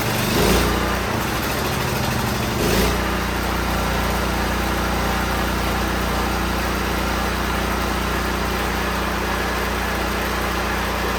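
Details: Firman T07571 tri-fuel generator running on regular gas with the choke on (the choke is loose). It was brought in running rough and spewing white smoke. The lumpy, surging run is uncertain in cause; a carbon-clogged exhaust screen from rich running is suspected.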